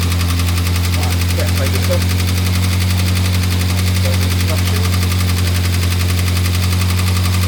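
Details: Morris Minor 1000 just started after a long break: low steady drone with a slightly uneven beat as it warms, running rough when cold; cause not confirmed.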